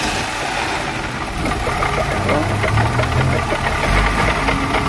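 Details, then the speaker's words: 1995 Opel Vectra engine at rough idle: hard uneven knocking not tied to firing, from a rough water pump with bearing play; replaced with new pump. "بصوا طرمبه الميه عامله ازاي خشنه وفي نفس الوقت فيها بش وبتجيب ميه"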